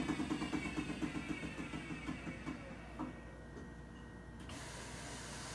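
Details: 2006 GE Adora washer (made in China) in spin cycle: heavy rhythmic thumps about three per second, slowing and fading as the drum spins down; bad spider, failing drum drive pulley and bearing.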